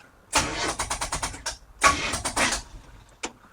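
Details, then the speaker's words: 1955 Chevrolet big-block V8, 12:1 compression, stock starter, first start: slow labored cranking in uneven bursts with pauses and no catch; dead, weak battery. "that battery might be dead what is this saying oh yes it's saying it's dead it's saying it's dead yes okay"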